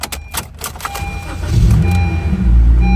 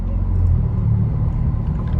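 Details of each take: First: Honda Civic natural gas (CNG), 149,000 miles, earlier no-start traced to immobilizer, fixed with the correct key: brief starter whirr, then it catches at once and settles to a steady low idle. Normal start. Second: 2019 Honda Civic natural gas (CNG), 149,000 miles: deep, loud, unmuffled rumble at idle and while shifting; owner suspects the catalytic converter is missing or the flex pipe has come off. Loud exhaust.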